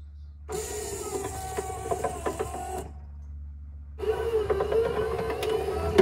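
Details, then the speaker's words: Rear quarter power window mechanism from a 1964–66 Thunderbird convertible, run on the bench before disassembly: motor hum in two strokes with irregular crackling snaps from the regulator spring, exceptionally noisy. "you hear a crackle in there let me uh let me bring this closer and you can listen to it hear that the crackling that's the spring making that noise"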